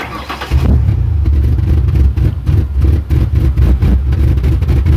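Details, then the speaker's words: 1997 Ford Explorer 4.0L with a MAF sensor fault and rich codes P0172/P0175, at wide-open throttle: deep labored rumble surging unevenly, barely revving, black smoke; rich-running bog. "ig cloud of black smoke so I know it's running rich it hardly revs at all here I'll let you listen to it now listen to this [Music] engine so it really won't even stay running I'll try to rev it that's wide open throttle right there"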